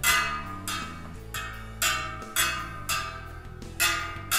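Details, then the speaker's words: Bicycle wheel on a truing stand, three spokes tighter than the rest: a spoke plucked gives a clear ringing note with a firm, even pitch that decays cleanly; its tension sounds fine. "you may also try to hear the difference in the tension. This one seems to be quite all right."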